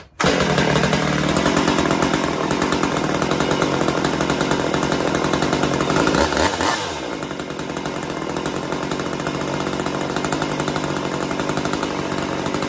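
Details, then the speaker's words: Stihl MS192T chainsaw, first run after refitting the forgotten impulse hose and retuning the carb (high screw, idle raised): loud even two-stroke buzz at high revs with a brief dip mid-clip; runs cleanly and pulls well. "anyway what do I think first time running it not too bad"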